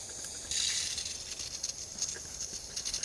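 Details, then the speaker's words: Truck boost-leak test, pressurized to about 15 psi: steady sharp hiss of escaping air with sputtering bursts, indicating a leak at the intercooler boot. "okay so if you start to hear something like that you got bad stuff going on"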